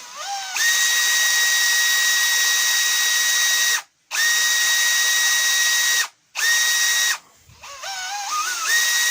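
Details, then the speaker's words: Makita DHP483 cordless drill after fixing the intermittent trigger switch, run at speed settings 2 and 1: clean, steady high whine spinning up smoothly on each pull with no cutting out; trigger now works cleanly. "that's going better, guys. I think it actually solved it. The trigger's a lot cleaner now. It's not intermittent."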